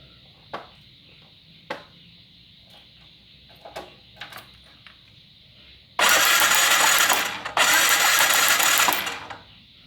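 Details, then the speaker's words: Motorcycle no-start check: handling clicks, then two loud bursts of electric starter cranking without firing; coil cable sparks but spark plug gives none, so plug is dead and must be replaced. "dapat disimpulkan businya mati karena busi tidak mengeluarkan api"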